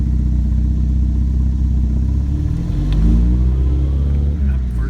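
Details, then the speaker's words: 1961 Triumph TR3B on a road test during inspection: engine pulls up through the revs with no whine or howl, gear nice and quiet; normal gearbox. "gear is nice and quiet it's a good sign"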